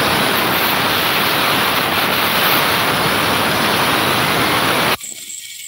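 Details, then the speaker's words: Honda Beat left crankshaft bearing removed, oil cleaned off and turned by hand: a steady gritty rasp that cuts off sharply, no longer smooth; rough and worn, to be replaced. "begitu olinya dibersihkan Suaranya Baru jelas ya Kalau tadi tertutup sama suara oli Jadi laharnya udah nggak mulus teman-teman"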